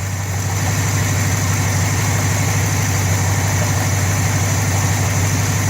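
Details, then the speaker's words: Car engine idling after exhaust leak repair at the front: steady low rumble with no ticking or puffing, exhaust leak now sealed. "You don't hear the exhaust leak. Wow. That's what's up. No exhaust leak in the front."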